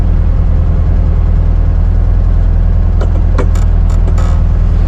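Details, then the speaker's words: 1972 Karmann Ghia idling nicely on a test drive, with a steady low drone and then a quick run of sharp clunks; owner attributes the clunk to the body flexing, and the door gaskets are not yet fitted. "It is the body flexing. I don't know if the GoPro's picking it up because I did hear it on your side as well."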